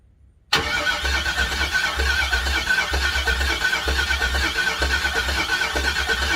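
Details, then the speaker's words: LS-swapped Ford Model A hot rod, first start attempt with about a gallon of fuel in a new tank: loud steady lumpy cranking that never fires; owner suspects no fuel and plans to check power to the fuel pump, unconfirmed. "First guess is it doesn't sound like it has any fuel."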